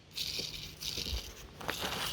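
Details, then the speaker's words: Alternator removed from 4x4 with about 360,000 km, casing opened, bearing spun by hand: dry gritty rattle in uneven bursts; bearing and bush completely worn, new alternator needed. "it's this bearing is rooted and you can see the housing or bush around the outside it's it's completely shot so I'm probably definitely in need for a new alternator"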